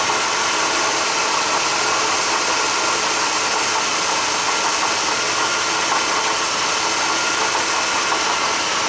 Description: In this case the water pump makes a loud "squealing" noise or you hear the bearings scraping.